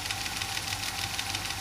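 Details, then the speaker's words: 1960s Grundig Stenorette dictation cassette machine, run without its microphone control attachment, in fast forward: quick, even clicking, about four a second, over a thin whirring wind as it hits a spot; cause unclear. "now it's hit another spot you can hear it clicking"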